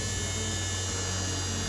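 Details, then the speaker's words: Tesla electric motor bench-spinning an NP205 transfer case with Magnum drum underdrive: steady high buzzing whine over low hum, like a bearing, with slight vibration; spline suspected, not confirmed. "Hear that noise? Sounds like a bearing. It would be quiet. Hear that? And I got a little vibration."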